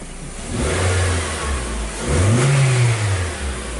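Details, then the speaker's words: 2014 Nissan Sylphy after repair of a P0304 cylinder 3 misfire that caused power loss and near-stalling: with codes cleared and the check light off, the engine revs up twice smooth and even around 800 rpm idle, no misfire. "so we're not feeling the misfire I before"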